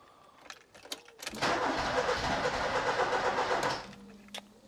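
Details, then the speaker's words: Ford Escort Cabrio XR3i after replacing a relay: cranks, catches and revs about two seconds, then dies flat; owner thinks it runs only on the cold-start injector, no pressure at the fuel distributor. "So what I think you're seeing here is that the car will only run for a second on the cold start injector, and not on the actual fuel distribution system."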